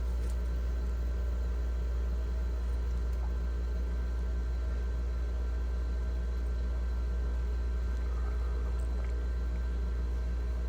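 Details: GE French door refrigerator fresh food evaporator fan after freeing seizure caused by clogged drain; steady low hum, even tone, no scraping or ticking; fan spinning freely, normal running.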